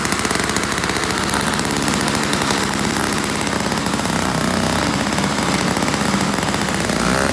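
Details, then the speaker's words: Toro CCR1000 3-horse single-stage two-stroke snow blower, after cleaning a gummed-up carburetor jet and removing wrapped string: steady even buzz holding pitch pushed into snow, no misses or surging; normal running under load. "had a bunch of string wrapped around it too earlier when I got it, but it throws it much better now."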